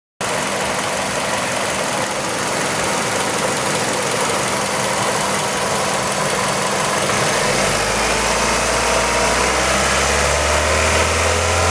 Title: Kia Ceed 1.6L G4FC engine rattle noise warm engine